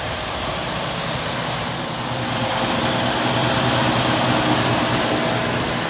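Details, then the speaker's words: 1968 Mustang after sitting years, running on a substitute carburetor, new fuel pump, fed from an auxiliary tank at about 25–30°F: steady, even idle with regular low thrum, no misses or knocks; engine running properly. "After sitting for 5 years, we got her started up, changed the carburetor."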